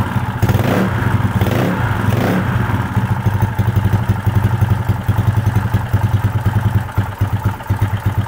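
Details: Small single-cylinder motorcycle that started cold but died when hot, test-started after the valve clearance (upper and lower) was set back to normal: a few throttle blips, then a steady, even idle with no misses. Normal running after the valve fix.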